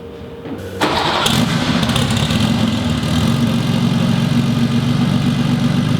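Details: Turbocharged classic Porsche 911 with Garrett GT30 turbo and scavenge pump, started before swapping to an eBay turbo: brief crank, clean catch, strong even running and free revs with no knocks or misses; runs healthy.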